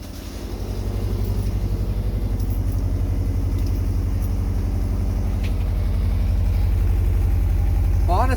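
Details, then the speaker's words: Forester with newly welded unequal-length headers on the stock exhaust; steady, even idle with a low, loping burble in the exhaust pulses, smooth and healthy unequal-header rumble, normal idle. "stock exhaust with the unequals it doesn't sound bad it gives it that Rumble you want"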